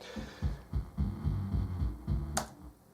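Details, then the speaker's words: Aaron Sub-240 powered subwoofer playing a 70 Hz tone, then music; thumping bass comes through muddy and fuzzy with a buzzy edge; distorted amplifier output. "well I can hear the tone but it is it is distorted so let me kill that so we'll listen to a normal audio track through it and oh yeah it's distorting"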